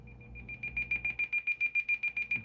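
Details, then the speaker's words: President George FCC CB radio in SWR protection mode: rapid high-pitched beeping, about six or seven a second, warning of a very high SWR. Beep rate changes with SWR while the antenna is adjusted. "So if you have a high SWR, you're going to have a beepi"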